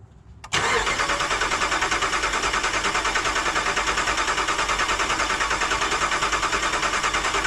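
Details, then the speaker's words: Rebuilt 2009 Hemi 1500 truck, fuel pump fuse pulled: even, rhythmic cranking at about three beats a second with no catch; slight tone change as oil pressure builds to about 43 psi after four key cycles. "you probably heard the slight tone change in the engine as it started cranking with oil pressure in it"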